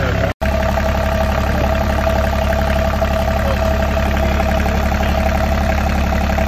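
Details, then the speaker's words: Ranger Tug 21 EC Volvo Penta diesel, first run of the season after fuel filter change: steady idle with an even low beat and faint constant tone, no misses or knocks; starts and runs without problems on shakedown cruise. "alright so it's the shakedown cruise here so we got the motor running no problems everything's looking great on our Ranger 21"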